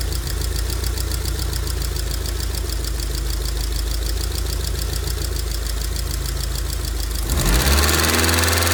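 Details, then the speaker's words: 2002 Rover 75/MG ZT engine that stalled at idle with an unpleasant noise and sat for a while, now idling smoky and clearly misfiring. A fast, even light ticking about four per second over the steady idle points to noisy valve tappets. "it is on the smoke here side don't I'd say but you can see the there are some valve taets there are a little bit noise to the"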